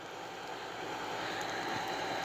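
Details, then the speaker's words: Hardy H2 outdoor wood heater, new damper blower fan motor after the old one locked up: steady even mid-pitched whir, no grinding or rumble; new fan bearings quiet. "that one sounds so much better than the previous one the bearings are quiet"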